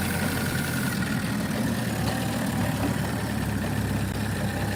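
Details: Chevy/Buick 1.4L petrol engine just started after aluminum thermostat and water outlet housing upgrade, coolant refilled and sensors reconnected: steady even low hum, no knocks, ticks or hunting; normal smooth idle.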